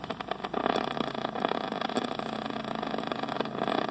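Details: New Rheem heat pump outdoor unit, heard through an ultrasonic leak detector: steady rushing, crackling hiss at one spot; R-410A refrigerant leaking from a ragged solder joint, confirmed with LD7 and Accutrak detectors.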